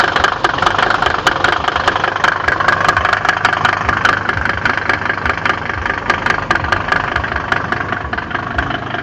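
Diesel idling with a rough, uneven knock about two to three per second over the clatter; cause not clear from sound alone.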